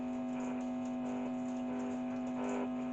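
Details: American Philips valve radio with a mains transformer and 1.4V valves, powered through a step-down adapter: a steady low buzzing hum that doesn't change, with faint ticking underneath. The set hums loudly from the mains.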